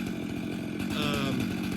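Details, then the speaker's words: Stihl MS462 chainsaw calibration after 30 seconds on choke, trigger held: steady buzzing load setting while the carb sets itself, then climbing toward wide open throttle before idling 30 seconds to set idle fuel; normal calibration run. "And you'll hear that load setting, and then it'll go up to wide open throttle, set it there, and then let it idle for 30 seconds, and that'll allow it to dial in that idle fuel setting."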